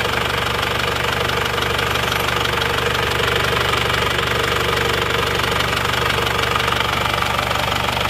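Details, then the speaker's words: Isuzu Panther diesel after repair, back from a test drive at 79 °C, near working temperature: idle rpm still a bit high, steady even clatter with regular firing and no odd knock; pulling like any standard Panther. "Ini RPM-nya masih ketinggian. Ini temperatur mesin ini 79 derajat. Jadi sudah sama dengan temperatur kerja ya, insya Allah mendekati."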